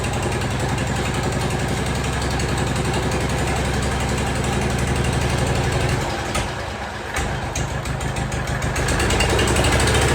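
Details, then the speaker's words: Jacobsen Chief 1200 tractor, cast-iron Kohler 301 single with an aftermarket Chinese carburetor, run after 3 years sitting: an about 4-beats-per-second thump stumbles briefly as the throttle opens, then picks up; hesitation on throttle-up, carburetor then adjusted. "Had a little hesitation on throttle up. I adjusted the carburetor."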